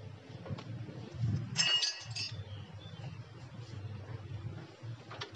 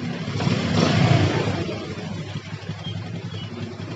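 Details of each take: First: Yamaha Jupiter MX that started then died, after new original rectifier and refuelling: catches after a few seconds and settles into a fast idle that keeps rising on its own without throttle adjustment. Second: Yamaha Jupiter MX that started then died, caused by a pinched, heat-blocked carburettor vacuum/fuel hose: after fixing the hose, a short rev blip then a steady, even low putter that holds without dying; normal idle.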